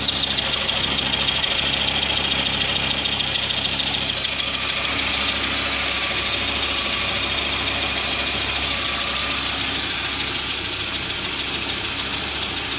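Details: 1995.5 Audi S6 AAN engine idling with harsh raspy high-pitched rattle ticking about three times a second; owner suspects serpentine belt tensioner, unconfirmed.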